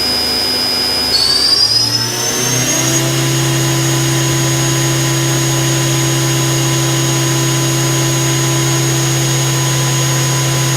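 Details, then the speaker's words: 1999 Daewoo DMV-500 vertical machining center spindle stepping up through speeds to 8000 rpm: clean, steady whine with smooth hum, no rumble or vibration; normal, healthy spindle. "as you can hear it sounds good no vibration whatsoever no rumbling or grumbling just as you'd expect"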